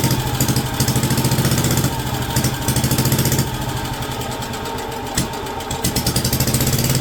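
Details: WWII Wisconsin AB Signal Corps generator, revived after about 70 years unused, almost warmed up with switches on, putting out about 12 volts on the low AC circuit. Steady low single-cylinder thump, about 2.5 beats a second, even and unlabored; normal idle.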